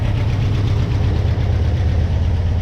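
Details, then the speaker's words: Porsche 356SC air-cooled engine after rebuild, first runs, carbs rebuilt with initial mixture set, linkage just adjusted: steady even low rumble with smooth regular beat, no knocks or misses; idles cleanly, though it smells rich with slight black smoke. "um but for now you know it's running good uh they did set the mixture at the company that did the carbs 356 carb rescue"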